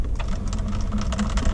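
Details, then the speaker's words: Mercedes steering column power adjuster broken while lowering the wheel: rapid, uneven clicking and ratcheting as the motor strains but the column won't move; owner suspects the gearing inside is off. "It's trying to move it, but it's just not able to."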